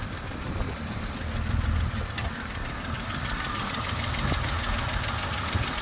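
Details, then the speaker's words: BMW X5 E70 petrol engine at idle after sitting about a month, recorded in the engine bay: light, quick ticking about four a second over a low rumble. Lifter tick suspected, from oil drained out of the lifters. "all right so you can hear that lifter tick noise and uh on this video what I'm going to do is show you how to get rid of that um the car has been sitting for about a month so all of the oil has drained from the lifters"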